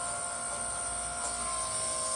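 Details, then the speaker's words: Scotsman ice machine in freeze cycle: thin steady whistle of several tones over low hum as high-pressure superheated hot gas leaks past a faulty hot gas solenoid valve into the low side; inlet line reads 107 degrees instead of cold. "Also, you can hear that like whistling noise. That's the sound of really high pressure superheated gas getting back into the low side."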